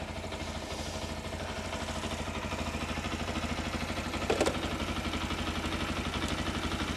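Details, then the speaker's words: Keeway RKR 125, running after new spark plugs and a booster pack jump, battery now charging: steady, even single-cylinder idle, slightly hesitant at first; normal idle. "ah yes she's running right then running sounds like it's R all right as well it's a bit hesitant I think"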